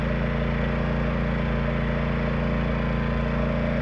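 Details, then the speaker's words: Yamaha 2000is inverter generator in eco mode, light load, connected to trailer 13,500 BTU air conditioner with Sure Start, waiting for compressor; even steady low drone, no surging or misses, quieter and slightly tinnier than the Honda 2000; running smoothly. "the Yamaha definitely has a different sound to it and um me and my buddy were just talking about it and it seems in a way kind of quieter"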